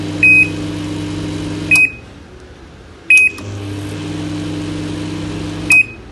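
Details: Microwave oven fitted with YM900M0 universal PCB, magnetron and fan lines newly wired: steady low hum starts, stops and restarts cleanly between button beeps; oven runs normally.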